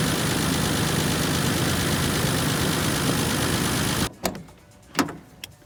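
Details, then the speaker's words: 1988 Toyota FJ62 Land Cruiser with crushed front end, new transmission, motor maintenance and new exhaust about 3 years ago; steady even idle, smooth regular beat, no knocks or misses, then shuts off cleanly; healthy idle. "The list goes on and on, but let me show you what it sounds like because it sounds really good."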